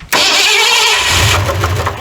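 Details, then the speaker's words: 1981 Ford F100 V8, choke working: catches and runs rough with heavy, uneven knocking; engine unhealthy, cause unknown. "oh yeah she still knocks like I don't know what to man that sounds terrible"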